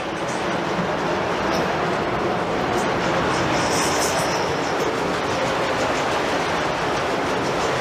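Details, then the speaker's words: Gold mill ball mill at South Pass City running normally: a loud, steady, dense clatter and rush of steel balls about 2 to 3 inches across, roughly 4000 pounds of them, tumbling in a turning drum. "okay now what we were just hearing was those ball bearings that are probably 3 inches around 2 inches around 2 and 1/2 a pretty good size too big to hold in the palm of your hand"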